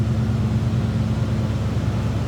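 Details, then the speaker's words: 1987 Oldsmobile Cutlass Supreme 442 V8, stock exhaust, recorded from behind the car: smooth steady low burble, no misses or rattles; normal idle. "Nothing crazy over the top as far as exhaust. I'd say it sounds like a stock 87 Olds Cutlass should sound."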